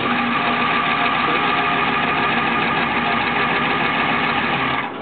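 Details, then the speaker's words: 1992 Ford F-350 7.3 IDI International diesel, first cold start on a near-freezing day after push-button glow plug relay fix: steady, even diesel clatter with no misses, stumbles or knocks; healthy cold idle. "the truck has not been started until then and we are in Idaho and it's a cool day it almost froze last night"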